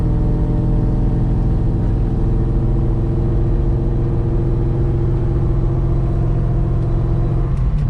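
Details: 2003 Mustang Mach 1 test drive after Moser Engineering rear axle repair for vibration and rear-end noise: steady deep engine and road rumble, no rhythmic whoop from the rear; axle sounds healthy.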